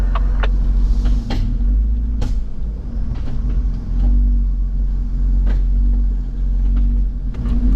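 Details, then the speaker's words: Jeep with front and rear lockers, off-road at crawling speed: deep, heavy driveline rumble with sharp clunks every second or two under load; owner suspects the rear differential, possibly a snapped rear pinion, not confirmed. "Yeah, I think I might have done the rear pinion. Hard to tell though. It 100% sounds like it's in the rear diff."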